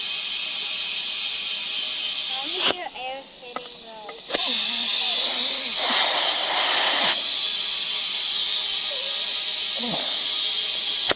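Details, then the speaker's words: Tractor tire being reseated on its rim with a ratchet strap and air compressor. Continuous high hiss with short breaks as air escapes instead of building pressure, likely past the bead; no pressure held, so the strap needed tightening. "Do I need to, all right now we're gonna try to put some air in it. Hopefully."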